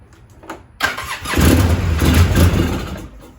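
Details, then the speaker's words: 2003 Polaris Sportsman 700 carbureted, no start, carburetor already known good: fires on starting fluid and runs rough under two seconds then dies; ignition fine, fuel starvation from failed diaphragm fuel pump. "she fires so we know it's not an electrical issue we know it's definitely not getting fuel it's starving for fuel"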